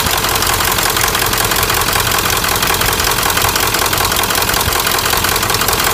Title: 1997 Ford F-350 turbo diesel bad injectors